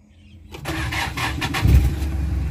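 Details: Hyundai diesel that hard-started even with a strong battery, after replacing the starter solenoid switch (armature and carbon brushes fine): brief strong crank, catches within a second and settles into a steady low idle; normal start.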